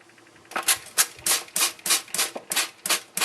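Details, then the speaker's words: Old outside sill cock copper pipe, frost-damaged after a hose was left connected, heated with a torch during removal: sharp crackling pops about three a second with no motor; trapped water boiling in the pipe until the spigot is opened to drain. "what I need to do is open it up to get the water to drain out, because as I'm heating that up and the water is boiling, I hear it tucking in the pipe."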